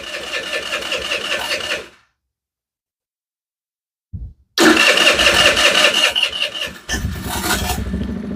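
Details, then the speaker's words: 2022 Chinese scooter after no-start troubleshooting, carburetor filling first time: starter whirs a few seconds, pause, brief crank, then engine catches and settles into a steady healthy run; idle set slightly up for warm-up until enricher comes off. "let's idle it up a little bit it's running a little too low turn it up just a tad that should be a good warm up right there"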